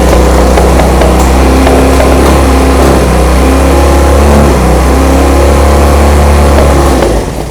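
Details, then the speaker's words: 1975 Honda CB200T twin, second start: loud, lumpy idle revving high, then fading and cutting out; owner suspects one cylinder ran out of fuel, unconfirmed. "and it was revving up really high and then all of a sudden it just revved down."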